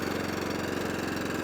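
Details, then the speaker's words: Atco Balmoral/Allett Kensington 14SK mower, Kawasaki FJ100D engine, warmed, formerly running only on choke; after carburettor clean and fuel tap rebuild: quick, steady beat off choke, full throttle and idle, no hunting or surging. "So, as you see, that's off choke now. That's running lovely. Full throttle. Lovely. Onto idle. Lovely. Back to full throttle. Lovely. No hunting. No surging."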